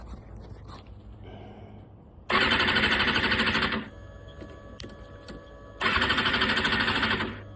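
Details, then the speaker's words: Kawasaki Ninja ZX-6R after disconnecting a part and checking for codes (none): two bursts of fast starter cranking, engine not catching; cranks but no start, owner later traces it to the fuel pump. "No start yet."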